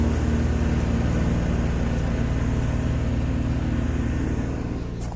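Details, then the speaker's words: 50-ton Carrier air-cooled chiller heard from a distance; steady low drone and even hum, no harsh rattle, doesn't seem loud at that distance; normal chiller operation. "This is a big unit. You definitely hear it, but it's not like a harsh rattle. So it's not hard on the ears. As soon as you get like 15 feet away from it, it doesn't seem bad at all."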